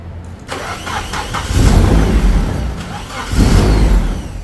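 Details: Nissan 240SX first start after troubleshooting, clutch in, not revved. The engine catches, swells twice, then settles to a quiet, smooth run on its own and fires on command; it runs normally.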